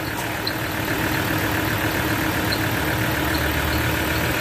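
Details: Ford Ranger 3.2 diesel at idle. Clatter with a rough, gritty, constant whirring in the upper range from the alternator's overrunning clutch pulley: alternator overrunning clutch grinding.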